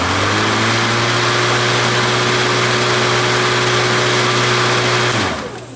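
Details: Black & Decker battery mower, third year, just after inserting a battery: steady, even motor hum holds one pitch for about five seconds, then winds down smoothly; motor sounds healthy.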